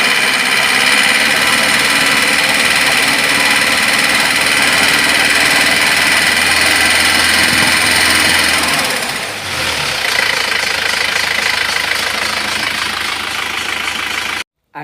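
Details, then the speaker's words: Isuzu Panther diesel just bought from a showroom, metallic 'nrek' knock when revved above 2000 rpm or blipped from idle, unchanged after valve adjustment; knock eases as revs drop, piston-to-head contact from an overly thin head gasket. "dia bunyi nrek seperti klep tapi ketika ditanyakan kepada showroom-nya katanya suruh set klep"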